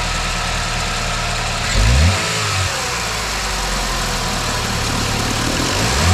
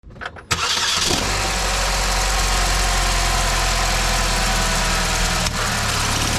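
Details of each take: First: 2009 Chevy Malibu engine at idle with two brief revs after the weak, shaking belt tensioner was addressed; it runs smooth and quiet with no squeak or rattle from the belt drive on the right side of the engine. Normal idle. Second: 2009 Chevy Malibu: engine starts into a busy idle with light rattly chatter and brief squeak on throttle blips from the right side of the engine, caused by a weak belt tensioner.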